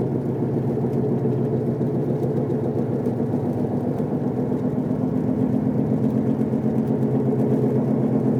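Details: Gritty droning whine while driving, starting the day after the wheel bearings were replaced; it swells with acceleration, vibrates the whole car, and is silent when braking to a stop. Drivetrain grinding, cause not pinned down.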